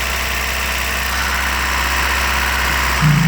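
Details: 1993 Toyota pickup 22R engine with high or surging idle: steady idle well above normal speed with no surging; high idle.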